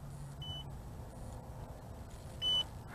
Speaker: and the remote control is beeping single beeps and i can see it and i can hear it coming back